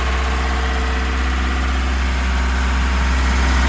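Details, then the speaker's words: Ford Cortina P100 four-cylinder warming idle after seven months unused; smooth even beat about four a second, no misses; all exhaust headers warm, running on all four cylinders. "are they all getting warm it does sound like it's running on four"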